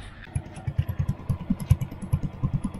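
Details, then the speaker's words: Yamaha Mio Sporty scooter after an endurance ride, idling: uneven low popping idle with a thin, hollow rasp to each pulse, exhaust now sounds tinny like a can; owner plans to add fiber packing inside the muffler. "ayan na po yung tunog niya, mukhang ang pangit na ng tunog niya. Parang lata na yung tunog ng natin ng tambucho."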